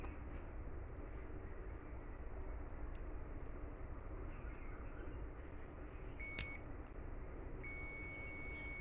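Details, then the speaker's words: 2kVA UPS charger card: multimeter in continuity mode across the bridge rectifier gives a steady continuity beep over quiet room hum, showing a short circuit in the rectifier. "दोस्तों, इसमें अंक में short circuit दिख रहा है।"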